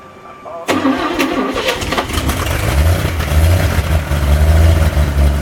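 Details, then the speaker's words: 1962 Chevy K20 truck engine after cylinder head rebuild with lapped valves and a new exhaust valve: long uneven cranking on starting fluid, owner citing low compression, that finally catches into a rough lumpy idle; hard start. "unfortunately this engine does not have a lot of compression so it's not starting easy"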